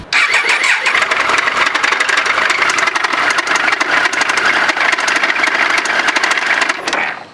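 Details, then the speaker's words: Triumph Speed Triple 955i triple revving: busy mechanical clatter with fast sharp ticks, a connecting-rod big-end bearing knock. "я сейчас продемонстрирую работу мотоцикла Триумф на котором и есть вот этот стук"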